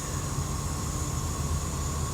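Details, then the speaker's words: Semi truck idling with a constant sharp hiss over low rumble, never letting up; air escaping from a failed air dryer purge valve, a critical part that cannot be ordered until Monday. "from here it is a big part that's broken guys uh it's not big Park but it's a park that they can't order until Monday"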